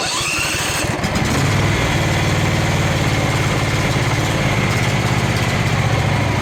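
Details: Craftsman FS 5500 lawn tractor, single-cylinder, idling with an uneven, loping beat that never settles. The owner says there is dirt in the carburetor, before cleaning; the breather was already blown out.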